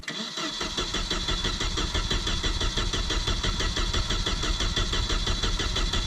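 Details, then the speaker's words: Volvo Penta AQ151C boat engine, first start in over 10 years: catches and settles into a steady even beat with solid low rumble, no misfires or knocks; normal running. "Oh doing this sounds so good sounds beefy yeah sick"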